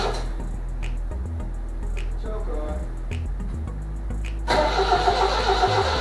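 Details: 1978 MGB convertible after replacing both bad relays, first start: uneven cranking, then catches and sputters with irregular pops; plug wires suspected swapped, possibly cylinders 3 and 4.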